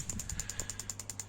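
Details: Ignition test before setting base timing: coil pack feeding a spark plug grounded to the head by a copper wire, other coils disconnected. Crisp snapping ticks about seven per second over a low hum give a strong, regular spark. Normal ignition spark.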